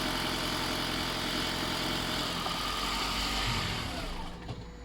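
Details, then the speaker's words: 2014 Toyota Auris Hybrid after an oil change: the engine started on its own and gives a smooth, even tick-over with no knocks, then fades out as it shuts down into EV mode. Healthy, normal idle. "So it's ticking over lovely. Yeah, it should turn itself off now in a minute. Go and have a listen. They're a nice sounding engine, all said."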